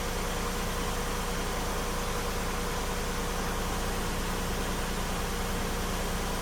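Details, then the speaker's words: 2000 Lexus RX300 V6 with codes P0300, P0302, P0304 and flashing check engine light: low uneven idle with slight stumble after ignition coil swap, still running rough; cylinder four misfire from faulty coil, replaced. "so we got it restarted with the coil swap it's still running rough"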